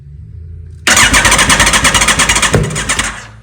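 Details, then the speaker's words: Motorcycle started after sitting a very long time: fires and runs roughly with loud uneven popping about four per second and a sharp backfire bang midway; owner doubts these cold-start pops are normal. "that backfire was insane. I don't know if you can hear me, but I don't think these pops were normal."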